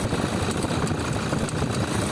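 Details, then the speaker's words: Toyota Hilux SW diesel idle with uneven rattling chatter from the belt drive, caused by the alternator pulley slipping. "Pronto, o barulho é essa polia. Ela está deslizando e está fazendo esse barulho."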